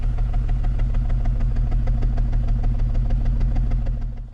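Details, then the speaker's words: BMW E53 X5 with the M54 straight-six and check engine light on: lumpy, uneven idle, loping about three times a second, with the vehicle rocking side to side; scan tool reads a misfire on cylinder six. "got the check engine light on and our silky smooth straight six m54 engines idling like a 454 big block chevy with a high lift cam all vehicles rocking side to side not good"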